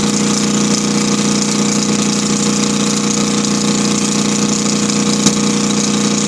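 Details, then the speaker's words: Kohler KD425-2 diesel in cold weather after leaking fuel lines were fixed: steady, even idle with a constant low drone, loud, no misses or knocks, a two-cycle-like tone. Normal idle, no exhaust smoke. "Kind of hard to hear the engine talk. Yeah, some air. There's that tone I was talking about. Nice and loud, man. I love it."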